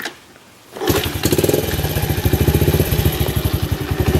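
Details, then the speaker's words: 1991 Honda CT70 with about 500 original miles, started cold with choke off after years stored in a museum, valve clearances checked: brief quiet, then the single fires straight into a quick, even putter, a clean, tight start. "Look at that, just idles right off the bat. And I don't know how good the camera will get the recording, but if you can hear this engine, it just sounds so tight."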